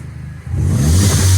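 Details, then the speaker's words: Mini Cooper S with crank no-start after new high pressure fuel pump replaced; quiet idle then crisp smooth rev, running better, fuel pressure near target. Finding: normal revving. "it suddenly started sounding even better"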